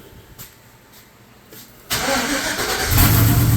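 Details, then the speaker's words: 1986 Chevy Suburban, LS-swapped V8, first start after fuel tank and pump install with little fuel: quiet start, brief starter grind, then catches at once into a strong, steady idle with no misfire, knock or leaks. "let off soon as you hit it let off but she is running grind the starter a little bit that's all right they're learning no leaks oh girl sounds good"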